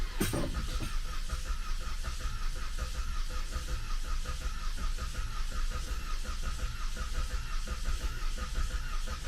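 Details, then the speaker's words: 2014 Cadillac CTS 2.0T cranking without starting after a new timing set and head gasket, with no oil in the engine; irregular, uneven churning with no firing; owner worries it jumped a tooth or suspects the missing oil. "I hope it it sounded weird for a second and I hope it didn't jump a tooth but it also could be because there is no oil in the engine right now"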